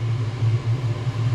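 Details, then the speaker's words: Chinese 5kW diesel heater in motorhome, fan previously stuck running on, test run at full heat; deep, steady jet-like roar with no surging or sputtering, warm air out quickly; running normally. "So far so good. Sounds like a jet at the airport, doesn't it, when you're like waiting to take ready off."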